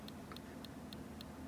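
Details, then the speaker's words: Dead hard drive from a $25 iBook G4, believed seized, reinstalled in its drive sled: sharp dry clicks about every quarter second over a faint hum, with no spin-up whir following, a new clicking sound it did not make before. "yeah that's definitely a fun new sound it wasn't doing that before i wonder since it's just seized"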